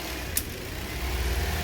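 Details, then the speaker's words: 2013 Toyota Corolla 1.8 16-valve flex-fuel with CNG after the seized alternator overrunning pulley was replaced, idling with the alternator refitted: steady low hum, no squeal, chirp or rattle from the belt side; zero noise, normal idle. "carro ligado de novo zero barulho"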